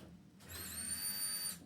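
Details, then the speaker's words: 2003 Grand Marquis drivetrain in cab-swapped project truck, idle three years; pump silent until popped inertia switch reset: clean steady high whine about a second at key-on, then shuts off; in-tank fuel pump priming normally. "Then I realized the inertia switch was popped up. So I popped it back down. And now I present you sounds of the fuel pump working."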